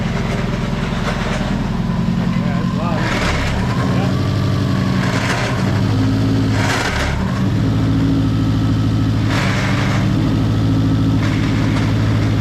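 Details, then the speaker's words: Subaru WRX on jack stands, in first and second gear with no load: engine running steady with repeated harsh grinding bursts as gears engage, rear wheels spinning; clutch or transmission suspected, unconfirmed. "Alright, so like with the when I went through first and second, it grinded."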